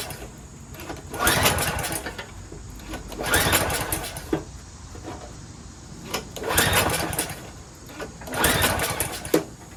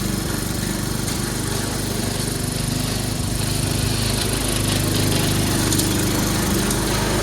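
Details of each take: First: Troy-Bilt 22-inch mower, 4HP Briggs Quantum, first start after fitting a part: engine swells and dies back about every two seconds, never settling; hunting from missing governor linkage, smoky muffler, owner suspects carburetor needs cleaning. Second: Troy-Bilt 22-inch mower, 4HP Briggs Quantum, makeshift throttle linkage, run on choke for one steady speed: steady single-cylinder drone while cutting grass, no misses or surging; normal running under load.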